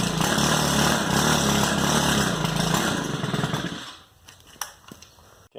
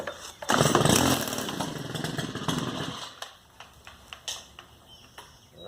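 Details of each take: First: Stihl FS110R string trimmer before carburetor replacement: raspy two-stroke runs flat, bogs and won't rev up, then dies; fault blamed on the old carburetor, fixed with a new one. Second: Stihl FS110R trimmer that was bogging and wouldn't rev, after its carburetor was replaced with a new one: on choke it catches on the first pull, buzzes strongly for a couple of seconds, then drops back quietly. Normal start.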